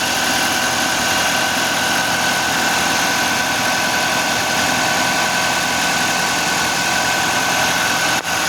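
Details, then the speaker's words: 2023 Audi Q5, 2.0 TFSI (DPU) engine, 15,000 km, after replacing a failed PCV valve and retorquing camshaft cover bolts: steady, even idle hum with no hiss, whistle or stumble, stable crankcase pressure, leaks fixed. "We replaced the PCV valve, corrected bolt torque, and after the repair, the engine runs smoothly, holds stable vacuum/pressure, and is now completely dry and leak-free."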